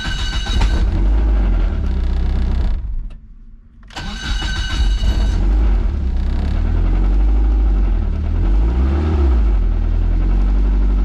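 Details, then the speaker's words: 500 hp Miata after a record 100–200 km/h run, in neutral with downpipe reconnected and motor mounts checked fine: fast uneven rattle over a heavy low rumble, clearly from the engine. A loose timing belt/valvetrain is suspected, not confirmed. "weird it's definitely the motor that is uh that is very unfortunate like the most unfortunate thing I could loose"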